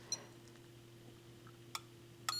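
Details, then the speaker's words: Pioneer QX-747A quad receiver repair: the ESR tester gives short high alarm beeps on a 25 V capacitor reading 1.08 capacitance and ESR 20, far too high, so the capacitor is bad. "that's not a happy that's not a happy ding right"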